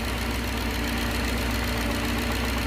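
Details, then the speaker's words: 1969 Gloria supercharged V8 on its first proper start, catch can blanked off: loud rough idle with a light knock growing with crankcase vacuum, as the baffle inside the cam cover is pulled down onto the valvetrain; not a rod bearing. "it'll get louder and louder as you pull crankcase vacuum pulls the baffle inside the cam cover down and touches against henshaw you take it away and the noise goes away"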